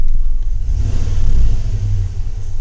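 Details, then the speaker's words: Chevy Tahoe shaking at start with check engine light on: deep, uneven idle with a stumbling, lumpy beat, a misfire still present after clearing codes, traced to a faulty spark plug wire. "now we still have a misfire hope you can hear"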